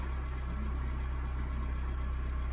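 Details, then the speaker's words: 2015 Hyundai Santa Fe with hard and intermittent no-start, after replacing a fuse with the proper 10 A fuse: starts quickly into a low, smooth, even idle hum, no misses or hunting; normal idle. "and it's only the lane communication and now everything is running perfectly"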